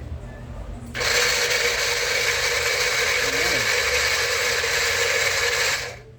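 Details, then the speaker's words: Philips Walita food processor before repair, gears dry of grease: loud, harsh, rasping whir that starts, holds about five seconds, then stops; dry gears grinding in the drive, fixed by cleaning and lubrication. "ele tá com uma zuada feia as carretas tudo Seca Tudo seca de graxa né"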